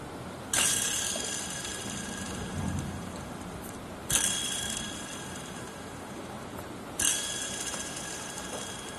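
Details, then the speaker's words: Removed belt tensioner pulley spun by hand, coasting down with a gritty, rough whir from a worn bearing; fix is pressing in a new bearing, after which the noise is gone. "可以听出来有异响。为了节约成本，我们就只换一盘这个轴承。"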